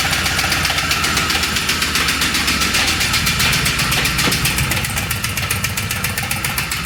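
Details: Long-sitting LS 6.0 V8 with 50 psi oil pressure: a rough idle with a heavy, rapid metallic knock about four times a second; a bad rod bearing that let go after a 3000 rpm rev and holed the block or oil pan.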